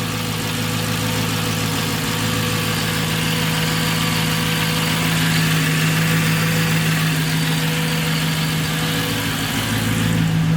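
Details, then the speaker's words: Manual-swapped Mercedes C55 AMG, 160,000 miles, first start on new fuel pump, recorded at rear: smooth even idle about ten seconds with constant low hum from the pump, no stumble; pressure good. "Pump sounds okay back here, nice and steady whir. That's good."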